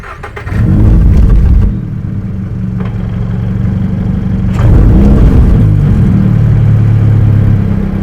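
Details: 2022 Subaru BRZ with a Tomei Expreme Ti catback exhaust, started and revved: a dull knock about four times a second under the exhaust note, from the pipe hitting the suspension spring. The noise is worse when driving.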